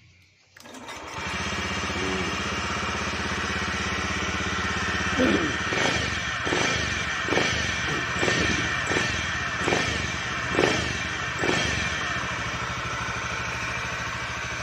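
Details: Honda Beat eSP scooter that would not start with fault blink code 52 (CKP sensor): after reconnecting the found broken pulser wire, it fires up and settles into a steady running beat with light throttle blips; blinking gone, running normally.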